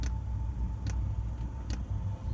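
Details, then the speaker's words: 5kW Chinese diesel heater at startup, priming fuel up the pipe: the fuel pump clicks slowly, with sharp single ticks roughly every 0.85 seconds over a low hum; the start-up fault is not yet sorted out. "pump started clicking but it's only clicking slower"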